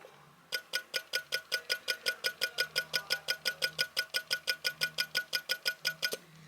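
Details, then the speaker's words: Electric SU fuel pump, replacing the original mechanical pump on a Weber-carbureted car, after repair. Crisp, even clicking about five per second; before, it went tick tick tick and was thought too tight. "I'm very happy with that cuz it was a tick tick tick now it's like it ought to be"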